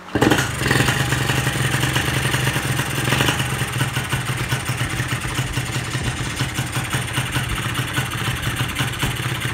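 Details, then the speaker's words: Carbureted engine, air screw opened until threads show and idle screw at its limit: lumpy, uneven idle sagging and stumbling as if about to stall; cause is an oversized pilot jet. "Ok, dah nak mati dah tu. Ni sebab pilot terlampau besar."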